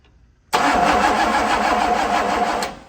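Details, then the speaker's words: 1965 Pontiac Catalina, being started for the first time in 20 years on a booster pack: two seconds of fast, even cranking that never catches or fires; carburetor still dry, fuel not yet reaching it, crank no start. "Try a little bit more, and then I might even dump some down just to get it going a little more. Carburetor still sounds dry."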